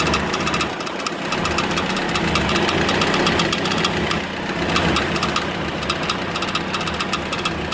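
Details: Engine at steady idle with an irregular tapping knock over it, a few per second, pointing to an internal knock of unknown cause.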